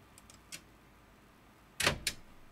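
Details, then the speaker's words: Zip drive in a modded Apple G4-case Ryzen PC ejecting its disk: a quiet whirr, short mechanical rattle and sharp click as the disk pops out, then it redetects. Normal zip drive eject. "there it goes it ejected should redetect it there we go"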